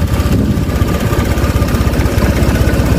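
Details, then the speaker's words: Honda Vario 125 with smaller injector fitted and jumpered with a 2 kΩ resistor: low, steady single-cylinder putter about two and a half beats a second, idle no longer dies though low; still slightly unpleasant when revved. "Tuh ya, ini aja yang paling bener ini. Langsamnya nggak mati-mati tuh, tapi kecil ya."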